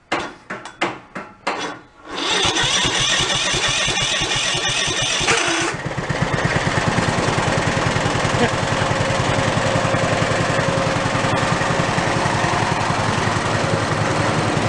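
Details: Toro riding mower single-cylinder engine running with half the crankshaft missing, no throttle, kill wire removed: cranking pulses then a lumpy shaking beat like a Harley; heavy vibration from unbalanced crankshaft, not as bad as expected.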